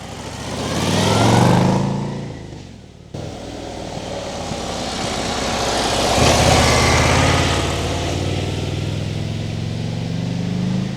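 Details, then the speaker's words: Harley-Davidson Street Bob 117ci with stock, fairly quiet exhaust: deep lumpy V-twin revving and settling with light valve-train ticking audible. Normal running. "You can hear the valves rattling, and it kind of gives you a Ducati feeling, which you really don't want to have on a Harley."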